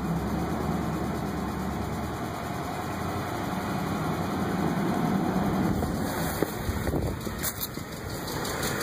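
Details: 2005 Ford F150 5.4 3V V8 at idle with a light, fairly regular tick about four times a second from seized hydraulic lash adjusters (lifters), before repair.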